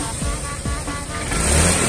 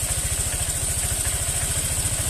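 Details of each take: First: Honda Vario fuel-injected scooter after ECU reset, previously hesitating and stuttering on initial throttle from weak fuel pump pressure: short throttle blip, revs climb smoothly and promptly with no stumble; responding cleanly. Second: Honda Vario scooter: idles, then stumbles and sputters unevenly on throttle blips, with hesitation and delay on initial pull; causes listed include weak fuel pump pressure, spark plug or cap, TPS or CKP socket; not yet pinpointed.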